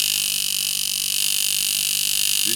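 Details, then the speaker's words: Tattoo machine (Sidewinder V3R vs Poseidon V7 comparison) slowed to 3.3 volts: a fast, even buzz with a steady pulse that never falters; softer and slow but still hitting hard, running normally. "is 3.3. And as you can see, it's a little bit softer now, but it's still hitting really hard. And it's nice and slow for that whip shading, stippling, stuff like that."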